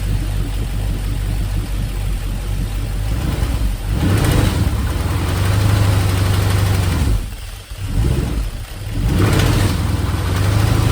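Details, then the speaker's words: 2002 GM 5.3 V8 running on an engine stand with an aftermarket harness, idling and blipping: light intermittent lifter tapping over the rumble, only about 10 psi oil pressure at idle; low oil pressure confirmed, not a bad gauge. "much easier to hear it out of the truck because when it was in the truck you really didn't hear much you heard an intermittent tapping this thing's got low oil low oil pressure no doubt"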